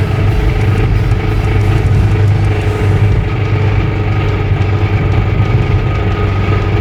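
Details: Toyota Corolla at 119k miles with a suspected spun rod bearing, driven up a big hill with no power: heavy low engine drone with rapid deep knocking mixed into road noise; rod knock suspected, not confirmed.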